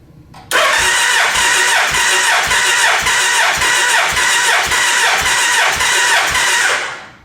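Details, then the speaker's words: Gen 1 Suzuki Hayabusa after cam chain replacement, cranking during compression test of cylinder 3 with battery recharged to 14 volts: steady even pulses about twice a second, reading 194 psi versus 172 before; normal cranking, balanced compression. "I let the battery charge up for about 20 minutes. It got up to 14 volts. Now we're back to where we were when we first did our testing."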